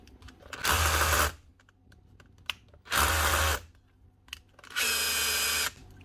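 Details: Makita 18V cordless SDS drill: three short, clean, even motor whirs spinning up and stopping without rattle or stutter; drill running normally; chuck dry of grease.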